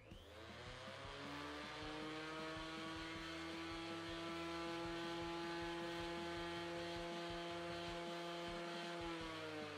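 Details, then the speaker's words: Repaired planer run with no dust collector and no material, hold-down plate swapped for one of possibly different weight: motor whines with a rough throb about twice a second, vibrating worse than before; owner unsure whether the plate or a disturbed bearing is responsible. "sounds to me like it is vibrating worse than what it was before"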